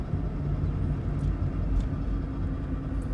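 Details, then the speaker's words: 2006 Toyota Prius, 205k miles, previously grinding and humming (suspected wheel bearings): driving with steady low road rumble and no grinding; bearings sound normal, only rusty brake rotor noise and possibly a slightly loud exhaust. "but in terms of the grinding noise they're completely gone no"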